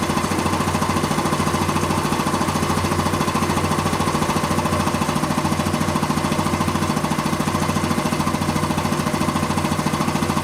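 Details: Quincy 325 air compressor, final test run after a full rebuild with head clean-up and rebuilt valves. Even, steady thumping at about 3.5 pulses a second with no knocks or rattles. Normal running.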